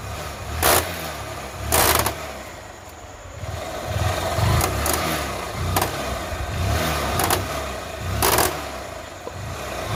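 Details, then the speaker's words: Honda Shine motorcycle on a ride: loud, uneven slapping clunks about every second over a quiet engine, a 'kata kata' knock when slowing down; worn chain and sprockets knocking and slipping. "మీరు బండి ఆ ఆ slow చేస్తే బండికి slow చేస్తే ఆ కట కట కట కట అంటుంది"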